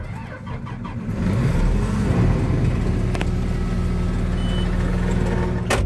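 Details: Diesel harvester-type machine with tip-cutter safety lights off, engine compartment closed; brief crank, catches and settles into a steady, even rumble with no misses. Normal start once the safety interlock allows it.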